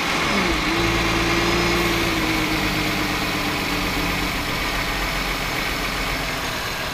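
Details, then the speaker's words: 2009 VW Touareg 3.6L with lean codes both banks and idle rpm higher than expected: tone sags then idle hunts unevenly; about 10 inHg crankcase vacuum indicates internal air leak through the PCV. "I have an internal lead through this PCB which is why even want to plug up this hole there's still no change"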